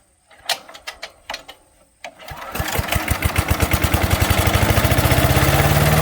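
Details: 5 HP MTD wood chipper/shredder after carburetor kit rebuild: a few pull-start coughs, then it catches and settles into a quick, even beat that builds steadily; starts and runs well.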